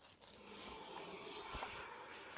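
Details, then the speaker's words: Hand-spun wheel on a parts-donor Jeep Wrangler YJ axle (Ford 8.8 rear with limited slip or Dana 30 front with OX locker, 4.88 gears): soft even pad swish, spins easy, no drag or grinding; normal brake noise. "That's fine. That's regular brake noise. Spins easy, doesn't drag. No awful sounds."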